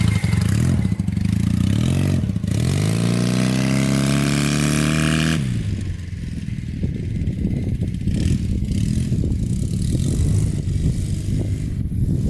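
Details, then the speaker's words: Honda trike with CM400 twin after two hours cleaning badly clogged carburetors (owner suspects it ran on one cylinder before): pulls cleanly up through the revs with a smooth rising note, then settles evenly. "oh yeah she revs out now I mean it's not the fastest thing in the world but it's pretty fun"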